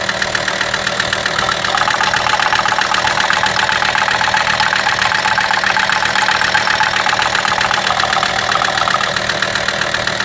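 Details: VW T5 with AXD diesel engine at idle: a sharp, regular ticking knock, nearly four per second, rides clearly on the idle. A mysterious engine knock whose source is still unknown.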